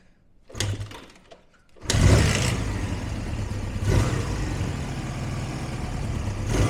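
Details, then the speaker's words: Benly motorcycle single, stone cold, no choke, after carb work with the floats refitted: it coughs, catches on the second try and settles into a rough, uneven low run with throttle blips. "fuel on ignition on i'm not going to use the choke just see what happens absolutely nothing i might just gotta fill the carb up"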